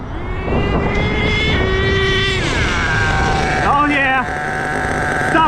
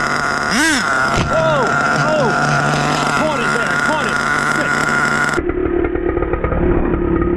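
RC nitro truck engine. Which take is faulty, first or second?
second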